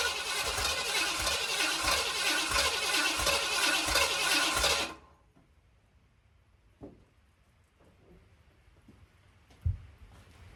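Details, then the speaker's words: Mildly built 351 Windsor swapped into 1980 Ford F-150, carbureted: starter spins evenly about three beats a second for five seconds without catching; owner suspects fuel pump not delivering, crank no start. "last squirt hope it works I'm wondering if my fuel pump put working I hope not"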